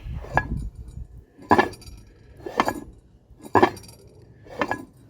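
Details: 1955 DeSoto, blown 392 HEMI with 6/71 supercharger, after a bearing-type noise and lockup: slow hand turning gives a light metallic clink about once per turn inside the blower; cause suspected, source unconfirmed.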